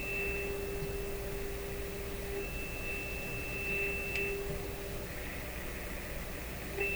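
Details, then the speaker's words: PYE Model 762 shortwave receiver (about 70 years old), final alignment after switching to a bigger screwdriver: clean steady whistle over soft hiss, no wavering; trimmer tuned for maximum meter, signal peaked correctly. "i think i got it that time [Music] bingo tuned for maximum meter there we are"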